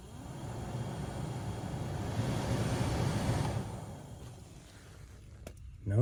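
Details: 2003–2006 Honda Element heater blower motor, refitted after removing leaves that caused noise: smooth even fan rush with no ticking, rattling or scraping, then quiet wind-down; normal blower operation after the fix.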